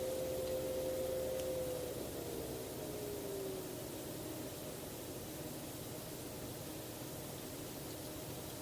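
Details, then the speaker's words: Enermax NeoChanger pump/reservoir combo ramped from high speed down to lowest setting, 1500 rpm: faint steady tone slides downward into a quiet even hum beneath louder case fans; pump running normally. "now back at his lowest setting and it's still pretty crying so my case fans are actually louder than this"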